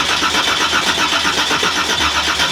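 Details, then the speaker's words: Nissan GTR R35 Black Edition V8 1,500bhp drag car, not started in about 6-7 years: the starter spins it with no firing to build oil pressure. Steady whir with even pulses, but no oil pressure shows on the dash. "Where's the oil pressure on that then? Well, there's no oil pressure. It's not coming up."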